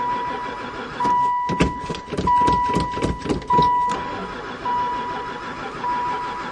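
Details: Van that sat about 4 years (2002 mentioned) and barely ran before storage cranks over in bursts for about three seconds but never fires, even with gas added to the intake; owner suspects no spark, cause unconfirmed.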